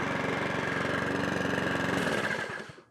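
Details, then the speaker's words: Mountfield HP42R mower after throttle cable box repair, new air filter, sharpened balanced blade and oil change; small single-cylinder engine starts and chugs at a steady fast even beat, then shut off; though it later stalled going idle to full revs, requiring carburetor overhaul. "It should start straight up. it's had a new air filter. It's had blade sharpener balance."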